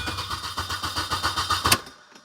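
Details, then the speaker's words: 2005 Mini Cooper crank no-start: fuel pump not heard priming at key-on, steady even cranking about eight beats a second with no firing; fuel pump or its relay suspected, later pump assembly replaced. "now the the fuel pump didn't run so I predict it's not going to"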